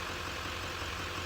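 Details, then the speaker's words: 2011 Duramax diesel idling just after a FASS fuel lift pump install and priming: steady even diesel clatter with no extra whine, tick or hiss from the new pump, a normal idle. "and it works so just letting the engine run for a minute here you see right here uh where we've got the fast system installed there's no extra noise coming from it"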